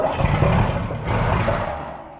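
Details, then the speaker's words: Camaro barn find parked 32 years, start attempt: the V8 cranks and coughs as if trying to catch, then fades out because the accelerator pump is leaking; carburetor junk, to be swapped. "Oh, our accelerator pump's screwed. Yeah. It's leaking out the accelerator pump."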